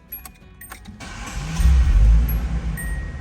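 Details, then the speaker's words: 1983 Datsun 280ZX GL coupe, 5-speed manual, 62k miles, one family from new: keys and door chime (ding and boing), short crank, catches at once and settles to an even idle; sounds absolutely perfect, normal start and idle. "sounds absolutely perfect. Little ding and boing in there."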